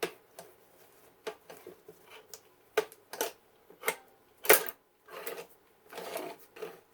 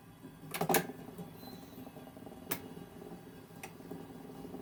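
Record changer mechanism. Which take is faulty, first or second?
first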